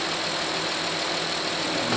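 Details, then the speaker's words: Honda Pilot 3.5L V6 warming up after a 100k timing belt, water pump and tensioner replacement, with steering turned back and forth: smooth, even idle with steady hiss, no knocks, ticks or misses. Everything sounds good; normal idle. "I'm going to turn it over back and forth. Everything sounds good."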